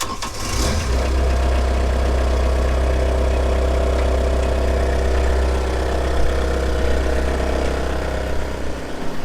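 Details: CAT 304 mini excavator diesel with an intermittent click-no-start fault, now started through a newly installed push-button start that bypasses the faulty electronics: the starter cranks briefly, then the engine catches cleanly and settles into a steady, even idle. Normal start.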